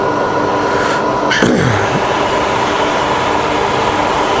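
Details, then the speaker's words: Fully rebuilt Bridgeport milling machine, spindle about 1000–1200 rpm, quill power feed running down; steady motor hum, then a sharp clunk as the feed trips out automatically at the bottom stop and its whine winds down; normal quill feed auto stop. "when it goes down to the bottom you see that shut down automatically"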